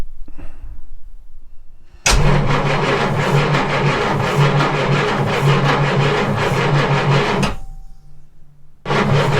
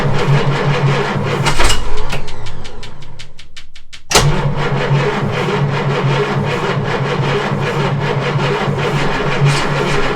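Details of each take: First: Jaguar MK2 budget build, first start in years with the automatic enrichment device removed and no choke fitted: starter churns evenly about three beats a second, engine reluctant to catch, pause, crank again; it eventually runs. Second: Jaguar Mk2 (budget build), first start in years with automatic enrichment device removed: cranking, a brief catch, then it fires and settles into an even, steady idle with a regular low beat; engine running after first start.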